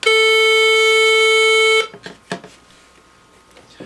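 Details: Fisher M-Scope M66 valve and box locator, nothing near the detector: a steady high-pitched buzz sounds the moment it is switched on, then cuts off; false always-on signal, cause unknown, though the tuning dial usually fixes it.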